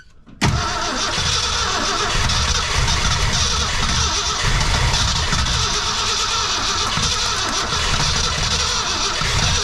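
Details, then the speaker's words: 1966 Ford Fairlane 390 FE V8, first start after about 20 years: strong cranking with uneven firing pulses that catch briefly but won't run from fuel starvation; needed a steady stream of gasoline poured in to run. "And I'll tell you what I had to do to get her running. She took a steady stream of gasoline."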